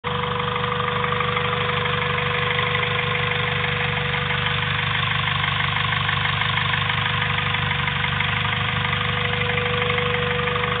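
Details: Honda Civic B16A2 turbo build (CP 9:1 pistons, Eagle rods, Supertech valvetrain) idling steadily with an odd rhythmic tapping about twice a second over a constant hum; strange noise, cause unknown.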